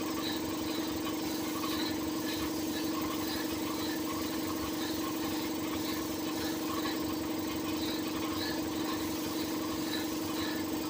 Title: compressor making a weird noise 😕🤔😒